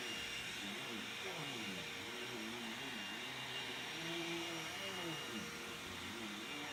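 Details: Bissell CleanView II Plus Bagless 3576M 12-amp vacuum after the fix for loss of power and a strange sucking sound: steady motor whir, even airflow rush, no gurgling or loss of suction under the background music; the vacuum sounds healthy.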